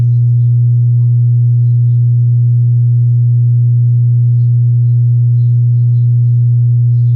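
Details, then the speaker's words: Wordstar WBL 160 Plus active speaker, opened on the bench and powered up: steady loud low hum around 120 Hz with no program sound; one amplifier output IC heats up while the other stays cold, pointing to a shorted output IC. "aí e aí e esse circuito integrado está aquecendo e esse aqui está totalmente frio"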